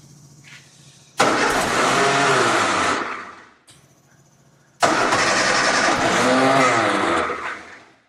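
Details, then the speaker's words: 1965 Austin Healey after years of neglect, no starting fluid: two bursts of firing about two seconds each that rev briefly then die; catches but won't keep running, cause unconfirmed. "did you hear that I didn't put any sparting food in there holy crap"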